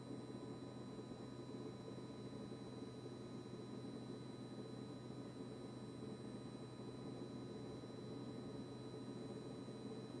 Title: Kitchen-Aid KRFC704FSS00 constant fridge compressor buzzing noise after service by Blue Diamond.